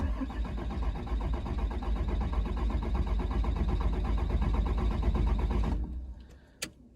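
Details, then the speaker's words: 2007 Dodge 5.9 Cummins diesel with cold hard-start complaint, scanner on fuel rail pressure: about six seconds steady cranking near three beats a second with no firing; rail pressure only about 7,000 kPa (~1,000 psi), far too low. "But we'll try crank it over here, see what kind of pressure we make."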